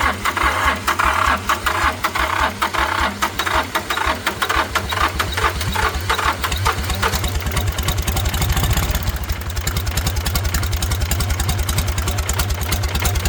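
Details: International 285 4x4 diesel tractor (title says 284), revived after sitting, cylinders previously filled with ATF: loud even clatter with steady firing pulses, briefly picking up with a rev; runs well, white and black smoke from the ATF.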